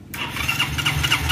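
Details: Carbureted Yamaha Xeon scooter with a hand-start (electric starter) fault, tested with a borrowed good battery because the original is nearly dead: a short clean crank, it catches at once and idles steadily. The starter motor works; normal electric start.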